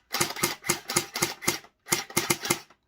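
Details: Rapid crisp snaps at about four a second in two even bursts from a Splatrball SB400 gel blaster after a fix. It cycles cleanly with plenty of battery.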